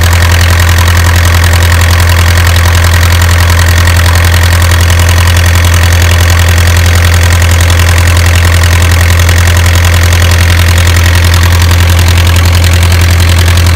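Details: Isuzu 4BA1 85 hp diesel coupled directly to a 5-inch single-impeller pump irrigating a 20-rai durian orchard, pushing water about 800 m uphill; loud, very even low drone at steady speed, regular beat, no misses; normal healthy running under load.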